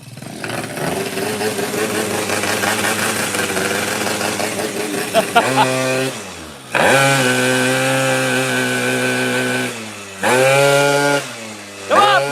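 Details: 90cc Jog two-stroke race motor, 220 psi compression, wrong stroke/rod, piston stopping several mm above the exhaust port floor: shrill flat-out scream that sags and cuts off abruptly twice as the piston seizes.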